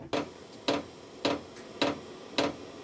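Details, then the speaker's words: New VEVOR diesel heater, first start: after shutting down to SLP mode the dosing pump ticks again at about 105 per minute in a quiet room but it never lights; owner suspects it is priming an empty system, and error 10 follows. "Okay, it still says SLP and it started ticking again. I wonder if that means prime, because there's nothing in this thing."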